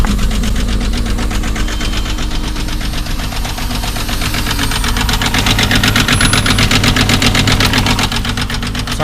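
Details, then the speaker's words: 2001 Volkswagen Jetta VR6, started with a jump pack on a weak battery: loud rough idle with a steady clatter about four times a second, whole car shaking; misfire with noisy valvetrain suspected, cause unconfirmed. "so you can see it uh it definitely runs like like absolute this whole entire car is just shaking right now"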